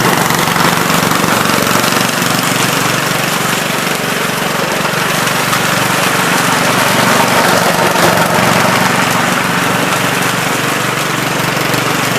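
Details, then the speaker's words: 1970 Gravely Commercial 8 garden tractor, 8 hp single-cylinder, revived after sitting a few years, still cold before warm-up: loud steady beat at constant speed, no misses or knocks; running pretty decent, normal running. "still running pretty decent i had to just carve just a spin there but uh looks like it's working"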